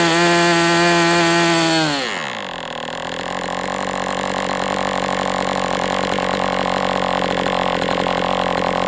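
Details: MDS 68 FS Pro glow engine on a break-in run: high buzz drops as throttle closes, then holds a steady idle; rich on the low end.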